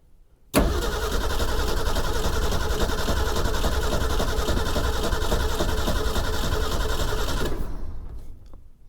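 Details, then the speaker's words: 1961 Ford Econoline van that sat over 30 years, cranked with a jumper wire after cleaning the starter cables: steady cranking at about 3–4 beats a second with a slight gallop in the rhythm; it turns over but never catches, with no power to the coil. "got a bit of a gallop, but she seems to be turning over."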